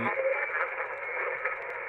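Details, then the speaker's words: uBitx transceiver with Nextion screen and CEC firmware, on 80 meters dipping below the band: garbled wash of broadcast talk and hiss; swamped by surrounding AM stations, attenuator does nothing. "ed by all this AM radio that's all around it."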